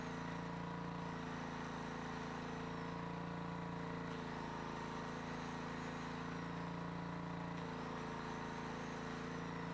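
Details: Old 7 HP Briggs & Stratton generator, powering a grinder and a light bulb: single-cylinder engine holds steady drone, governor surging gently every few seconds under load; runs fine, carburetor kit still to be sourced.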